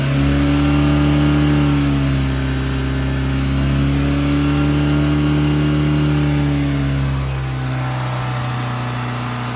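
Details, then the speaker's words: Volvo Penta 3.0 GL-J (GM block) boat engine, recorded from mid-boat then closer, held at high revs and easing down near the end: smooth, steady drone, with no knocks, misses or rattles. Normal high-rpm running. "back to 2000 now go back to idle now so that's what a good engine should sound like"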